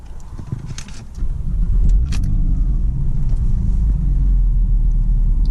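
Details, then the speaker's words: Porsche Boxster (non-S, manual gearbox, twin exhaust), outdoors in windy conditions: a brief crank, then it catches within a second and settles into a steady, even, buzzy "angry bee" idle. It is a healthy start. "Kind of burst into life a wee bit. It's a nice sound when it starts. It's like a wee, it's a bit like an angry bee, I think, sometimes."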